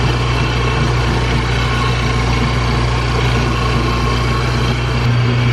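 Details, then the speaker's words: Cobra with 8.5:1 compression supercharged motor after broken blower belt replaced: steady idle with faint constant whine over even low rumble, probably alternator pulley or bearing; owner feels it worsening, maybe breaking in. "I feel like the noise is getting worse. But let's see if it's still making noise when we get back to the house."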